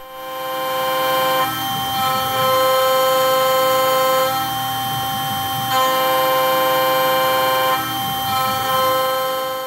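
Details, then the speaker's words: OpenBuilds MiniMill CNC router facing aluminum stock with a 1/4 inch end mill at about 50% width of cut and 0.030 in depth: even cutting hum swelling on each pass, smooth and chatter-free. "I could probably push this further, but I like to keep it sounding nice, and so I haven't pushed it as far as I can go yet."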